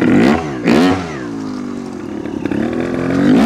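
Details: 2022 Vertigo Nitro 300 two-stroke trials bike: crisp blips, revs jumping up and falling back cleanly between quick throttle stabs; healthy revving, though a knocking noise was noticed after jumping.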